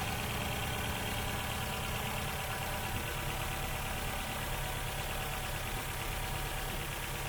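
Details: Ford Fiesta with Duratec petrol engine running on three cylinders with loss of power: lumpy, uneven idle with irregular stumbles about three a second; misfire traced to a failed spark plug ignition coil pack, replaced.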